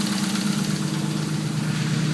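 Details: Nissan Cefiro A31 with RB30DET engine at idle: steady low drone with a faint repeating knock; cause unclear; engine knock at idle.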